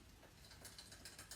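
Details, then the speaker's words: Bicycle front derailleur adjustment: limit screw wound out while pedalling, light rapid chain ticking as chain tries then drops onto the small chainring, ending centred in the cage. "You can hear it trying. And there it goes. And the chain is dead in the centre there."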